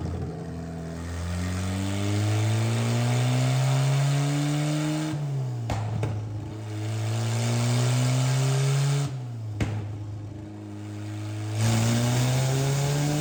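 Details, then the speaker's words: Miata engine with 2 degrees timing pulled revs hard through repeated pulls under load, then abrupt cutout and sharp crack; a cylinder detonated, dipstick popped up, porcelain seen. "Crankcase pressure? Yeah, we're gonna have to double check. No, that cylinder detonated."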